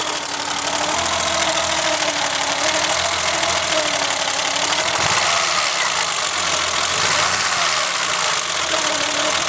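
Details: Petrol engine after the timing belt skipped one tooth (earlier two, bending valves): runs rough and lumpy, misfiring; new distributor cap arced near cylinder two so that plug didn't spark, one cylinder dead.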